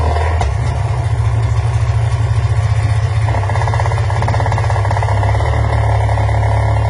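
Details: Sea-Doo two-stroke after complete rebuild and adjusting a recessed spring: deep, steady burble with even beat, no pops or backfires; runs better, healthy idle.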